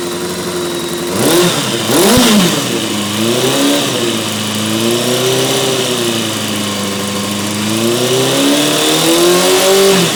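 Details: Honda F4i inline-four idling then revving, a faint uneven tapping rides over the engine note, seeming to come from the first cylinder on the bike's left side; cause still undetermined.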